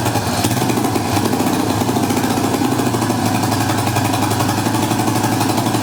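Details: Yamaha Warrior 350 ATV single-cylinder, after the bottom and top end were rebuilt and refitted: a fast, steady thump with an uneven, blubbery beat. It runs rough, and the owner suspects it is loading up.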